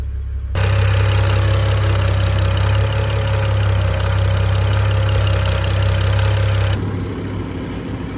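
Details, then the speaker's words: BMW F10 535i xDrive at first cold start after a full timing chain replacement: starts right up and idles smooth with a faint whine from the new chain. No VANOS codes or check-engine lights, normal idle. "So you think this is normal. I get no Vanos codes, everything's good, no check engine lights, everything's solid, started right up, cold start's great."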